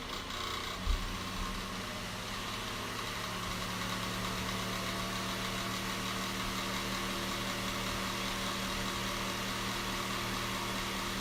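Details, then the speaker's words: Westpointe fan running with a steady rumbling hum, a gritty undertone and faint uneven ticking; the motor bearings are bad. "The bearings are bad."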